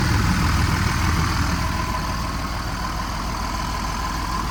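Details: Freightliner diesel pusher RV: steady low diesel clatter at an even idle with no knocks, misses or surging; normal idle.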